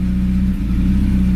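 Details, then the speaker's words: Honda Civic EK after new NGK spark plugs, misfires gone: a deep, loud, raw droning exhaust under revs from an exhaust leak; replacement exhaust pending. "So the next thing is I'm waiting on an exhaust. As you can tell, it kind of has an exhaust leak. This is annoying."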